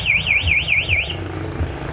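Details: Yamaha R15 V3 with a newly installed MP one-way anti-theft alarm: rising and falling warble siren about four sweeps a second over a quiet background, set off when the bike is moved or pushed; alarm working normally.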